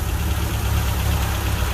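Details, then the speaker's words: Rambler engine idling steady and even right after a points swap, fires without pumping the gas and runs okay, normal idle. "All right, there we go. Points swap achieved. Sounds like it's running okay."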